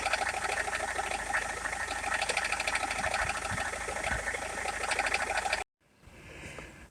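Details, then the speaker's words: Rover 75 at idle, bonnet open. Light, fast ticking of about three taps a second while the steering wheel is worked; it also taps with the aircon on. Battery and alternator checked as charging fine. Cause not yet found. "It's a little tappy noise to turn the wheel back and forth."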